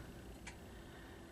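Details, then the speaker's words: Ridgeway clock, a trash find still running after 4 years despite missing its inner door, ticking normally: faint, evenly spaced ticks just under a second apart over quiet room noise, a steady healthy beat. "It's still here, still ticking, and it's still in its same shape with no inner door. But you can hear it, it's ticking normally."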